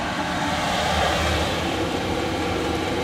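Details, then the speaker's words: Inexpensive diesel parking heater in a Land Rover, running after its fuel pump was primed: constant airy blower whoosh with an even hum and no rattles or surging, blowing warm air. The heater is working properly. "check it out guys it's working man get some warm air can you feel that it's good huh"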